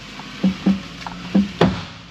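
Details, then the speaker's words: 2006 Toyota Camry with a heavy lean and large wheel-arch gap: four or five dull, hollow thumps over bumps while driving. Worn struts, springs and shocks suspected. "oh [Music] so i think yeah they got a suspension issue something just went a pup"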